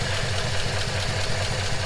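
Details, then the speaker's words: 1939 Ford Deluxe flathead V8, long stored with fuel stabilizer: low, even burble with steady lope, no knocks or misses; idling smoothly, not overheating, temperature at 160. "Seems to be running like a top too. Not overheating. Sounds healthy."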